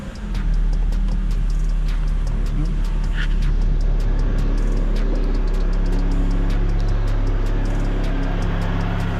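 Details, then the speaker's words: 1987 Honda Prelude Si just after a cold air intake install, with the stock air box, some vacuum lines and the charcoal canister removed: engine catches and settles into a steady, even run with a smooth low rumble, no knocks or misses; running normally. "Okay, see, it started and it's running pretty smooth."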